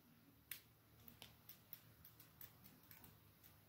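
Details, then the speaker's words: Third recovered fluorescent lamp, at end of life: faint, irregular ticking about 85 a minute as the starter keeps trying, but the lamp never strikes. "Pour la troisième, bah, malheureusement, bah, c'est comme la première, c'est qu'elle est en fin de vie."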